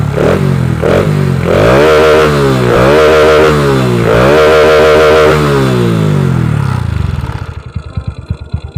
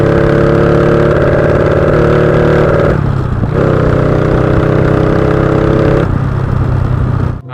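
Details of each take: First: Honda Wave 125i motorcycle on the road after replacing the fuel injector, which had been too rich and stumbled when throttled; now pulls cleanly through rising revs and gear changes with no stumble or hesitation; normal. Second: Honda Wave 125i fuel-injected motorcycle fitted with a PCX150 injector drones steadily, then sags and stumbles as the throttle opens. Rich mixture hesitation, possibly worsened by a recently replaced fuel pump.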